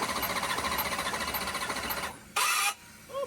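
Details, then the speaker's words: Nitrous Camaro V8 with heads reinstalled and rockers on, cranked over: rhythmic squeaky chirp on each compression stroke; a blown head gasket is suspected, and a compression test is being considered. "that's good enough you get the gist you can hear it squeaking yep unless it's squeaking on that side where the gasket I don't think so"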